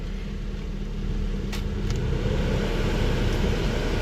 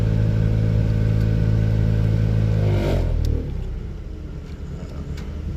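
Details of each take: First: 2003 Buick LeSabre 3.8 after blower motor replacement, engine running with AC on; steady, even low hum with no squeal, rattle or scraping from the fan: normal blower operation. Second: 2003 Buick LeSabre 3.8: loud steady low drone with strong hum from the HVAC blower, dropping away as the fan slows; worn blower motor, before replacement.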